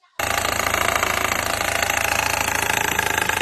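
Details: Car with an accessory-belt tensioner already replaced twice (INA unit worsened it, new belt helped slightly; recurs near 1500 rpm uphill): fast, hard slapping knock, three to four beats a second, over the running engine, before fitting an OEM Honda tensioner; cause unconfirmed.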